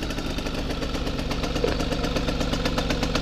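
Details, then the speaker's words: 1965 Vélosolex 3300 two-stroke, just push-started, running with choke on: quick even putter about four beats a second, no knock or rattle; idling cleanly. "le bruit, c'est bon ça. Il roule avec starter."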